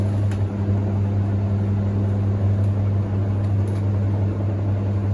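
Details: Hoover Ecologic D6722 reversing tumble dryer, after being taken apart and de-fluffed internally, test run with lid on and heating up: smooth even low motor drone, drum turning quietly, no thumps or scraping; smoother than owner's older one; normal running.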